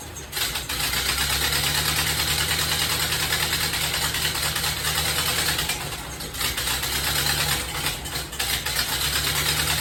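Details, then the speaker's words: 1930 Ford Model A pickup, after head machining and a distributor replacement, starts and sputters: an uneven, loping idle with irregular firing and stumbles over a low rumble; the carburetor is still out of adjustment. "I got it going !! The carburetor still not right... but at least it's running!!"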